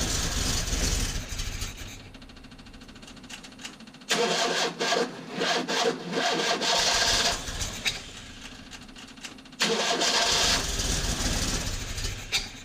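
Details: 1972 Fiat 850 Sport Spider, 903 cc 0.9 L engine, cold, while ignition timing is being adjusted; carburetor possibly out of tune: repeated cranking that catches briefly and runs rough between attempts; hard starting.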